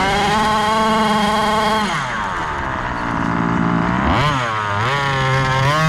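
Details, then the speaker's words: Gas-powered Rovan Baja 5B 1/5-scale buggy, test run after a crash rebuild with a new differential: buzzy two-stroke holds steady, then dips and climbs cleanly with throttle, no misses. Running normally. "all right guys successful test run everything worked"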